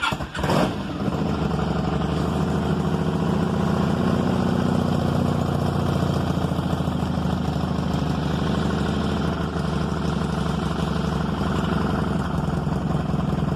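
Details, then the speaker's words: 1995 Honda Magna 750 V4, already warmed up, started without choke after carb rebuild and new spark plugs: it fires at once into a steady, even idle with no misses; only a slight exhaust leak is noted; normal start and idle. "i don't think i need to choke it it's already been kind of warmed up so we'll just kind of fire it up here maybe"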